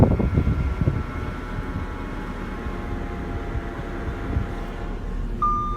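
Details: Audi A4 B8 driving: thin steady whine above road rumble, constant pitch; source unknown.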